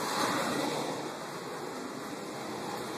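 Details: Furnace blower running after replacing a melted start capacitor and re-securing wiring away from the motor; steady, even whoosh of moving air with no rattle, squeal or hum, blower running normally.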